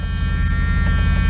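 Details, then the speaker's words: Owner-operator flatbed truck's annoying reminder buzzer, replaced with a small white Radio Shack buzzer: a steady, coarse low buzz runs without a break, muffled but still loud; buzzer sounding. "so anyway this is the buzzer right here this little white thing that I put in and I bought this little buzzer at Radio Shack and put that in um so I mean that's still kind of loud though"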